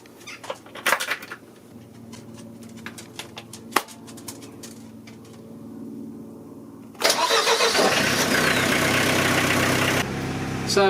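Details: Ford XLD 1800 marine diesel canal boat engine after refitting the missing thermostat to cure overheating, coolant refilled: catches at once and settles into a steady even run, no misfire or knock, healthy.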